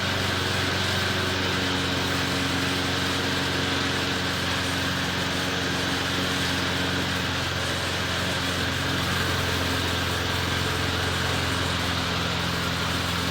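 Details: McLane mower running with rear lifted so freshly lubed drive chains freewheel without driving the mower: steady even drone, constant pitch, no knocks or misses; small engine runs smoothly, doesn't run too bad.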